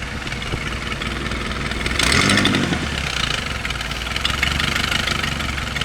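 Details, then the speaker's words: Chevy 2.2 four-cylinder after cylinder head replacement, cold start: loud rough puffing tick that swells with throttle, heard toward the back not at the manifold, quieter when warm; exhaust leak suspected, source not found. "listen that's wide open that's like a wide open Lake and when it gets warmed up it quiets down quite a bit when you start at cold that's loud as"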